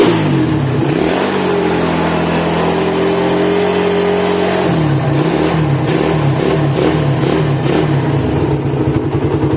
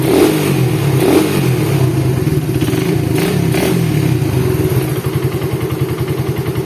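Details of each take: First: Cold Suzuki Satria FU motorcycle engine revs and settles to a harsh, gravelly idle with a rough mechanical rattle; teardown confirmed worn crankshaft bearings with side-to-side and vertical play. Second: Suzuki Satria FU single-cylinder engine after rebuild with new crankshaft bearing, first start after reassembly: deep steady thump with light rev blips, no knock or clatter; the earlier rough head and bottom-end noises are gone, running normally.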